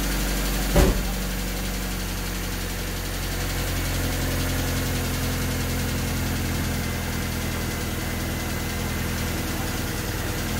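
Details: Honda D16Y8 engine on P28 ECU, idle after new spark plug wires and cleaned IACV reinstalled: faint uneven sag and recovery, idles weird and nearly stalls once throttle released; wires and IACV made no difference, cause unknown.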